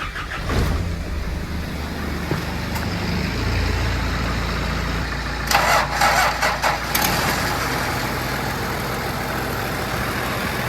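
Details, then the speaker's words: Engine jump-started after work cranks, catches and settles into rough idle with a faint puffing tick from an exhaust leak, later fixed. "okay so as you can hear here it sort of has a little bit of an exhaust leak"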